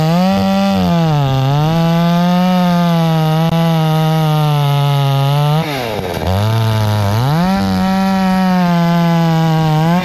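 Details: Hyundai 650 chainsaw after repair of running-then-stalling, cutting a tree: steady high buzz, drops briefly under load and picks straight back up to full speed without stalling; runs healthy.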